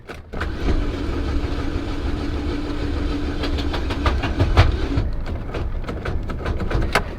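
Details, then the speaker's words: Salvage-auction car listed as non-runner, bought sight unseen, powered from 12 V; starter spins fast and even about five seconds with no compression pulses or firing; owner suspects no compression or broken timing chain; cranks fast without starting. "oh that's not good that's not good that sounds like no compression or a broken timing chain huh boy"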